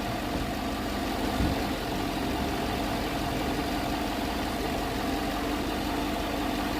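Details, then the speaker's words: Car started after commanding the fuel pump on with a scanner, before a long test drive to check for misfires: quiet, steady idle with a soft even hum and no stumbles or knocks; normal idle. "Good that sounds. Oh yeah. Barely even hear it. That's how good it sounds."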